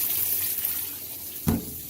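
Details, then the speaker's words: Excellent-condition Kenmore top-load washer during a post-inspection demo fill: steady hiss of water rushing into the tub with one brief splash, even flow, no odd noises; normal water fill. "But go ahead and show you, pull out on that. Got your water coming in."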